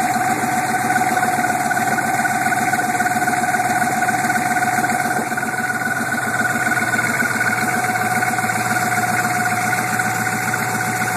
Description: weird engine noise on start up on my 87 suburban with a 6.2 turbo diesel. this sound has been around for about a year but has been very quiet until now. usually goes away after warmed up.